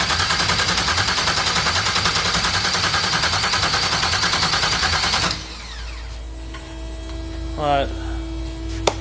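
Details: Audi TT MK1 with 2001 Chevrolet Suburban LS engine swap and standalone harness, first start attempt; steady starter churning about three turns a second for five seconds, never catches, ignition was not hooked up. Crank no start, no ignition.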